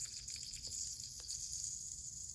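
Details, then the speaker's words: 1990 Sea-Doo SP single carburetor (587 rotary engine) pop-off pressure test before rebuild: steady high hiss of escaping air, not holding pressure (should pop at 10.5–11.5 psi). Finding: carburetor air leak, not holding pressure. "11.5 before it pops off, but you can hear it hissing out. It's not holding any pressure at all."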